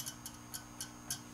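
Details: Peavey Classic 30 tube combo with new filter capacitors, original speaker and original tubes: faint, sharp ticks about three a second over low white noise, from one sensitive microphonic tube that needs replacing.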